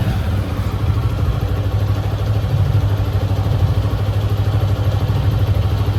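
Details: TVS Apache RTR 160 4V single-cylinder bike idling and revving with light fast tappet ticking over engine note, suspected valve clearance. Engine ticking, cause not confirmed.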